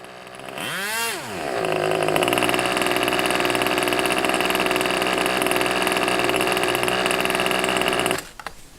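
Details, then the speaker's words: 35-year-old OS Max 21 FSR glow engine, rebuilt, with questionable cylinder lining, while the high-speed needle is dialled in; a slight flat spot remains when first opened up: rapid rise to a high, steady buzzing whine held smoothly, then cut; running well. "But yeah, so that sounds like it's running particularly well."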